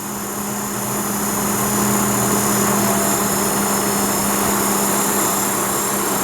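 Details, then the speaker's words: Antique heater blower motor for a 1929 Chrysler, seized before being freed with a drilled bearing hole and WD-40: smooth, steady hum with constant pitch and even airflow, no scraping or squeal; it now spins freely with a good fan. "So right now it spins real free. Wouldn't spin at all before. And you can hear it's got a pretty good fan"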